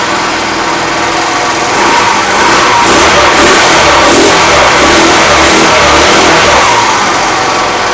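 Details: Fada Wind two-stroke scooter that would not start, after spark plug, air filter and starter ratchet replacement: loud buzzy revving holds an even steady note without stumbling or cutting out; running fine, oil change still suggested.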